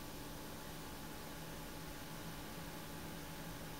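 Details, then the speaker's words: Radiator fans in a Ryzen 7 1700X water-cooled PC, switched from full speed to standard/silent mode in BIOS, water pump now the main noise: low steady airy hum, soft whoosh, no ticking or rubbing; much quieter, healthy. "in standard mode they are much quieter it reminds me of that HP computer"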